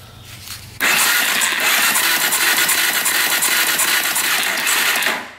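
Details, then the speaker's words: 2004 Suzuki LTZ400 quad bought cheap after seller gave up, good spark, engine turned over: harsh uneven clattering with a knock mixed into cranking; engine knock while cranking, cause unknown, compression test and valve cover check planned. "I hear a knocking of some sort in the engine that's not good so if you guys can hear it let me turn it over"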